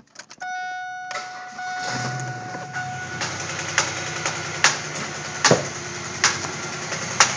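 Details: 2000 Pontiac Grand Prix GT started with the number six spark plug wire plugged in; rough idle with loud sharp irregular pops about once a second, only with #6 connected; owner suspects an ignition problem, cause unknown.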